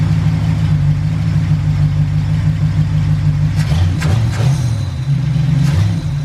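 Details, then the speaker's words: Ford Galaxie with suspected heat-related fuel issue (fuel line very close to heat), restarted after cooling off: steady low rumble with a brief dip and a little clatter, otherwise even; fuel pressure restored though not high. "i bet you now that it's cooled off it'll actually run just fine so we're gonna try it"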